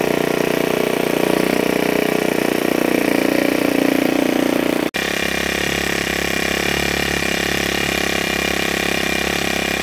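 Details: Ryobi S430 30cc four-stroke overhead-cam trimmer engine, removed and run on a wooden stand: buzzes along at a steady, even speed with no misses, knocks or rattles; normal running.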